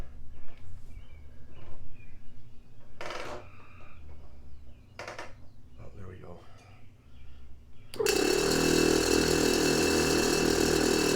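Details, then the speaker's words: Twin Hornblasters Goliath bracket air compressors from a 2019 Ram 3500, restored with new hardware, fittings, airline and electric valve, bench-tested before install, about 10 amps: both kick on into a steady, even drone with no knocking, expected to slow as tank pressure builds; running normally. "you'll hear them slow down a bit because it's just uh like 10 amps but uh as it starts to build pressure in the tank you'll kind of hear them slow down a bit"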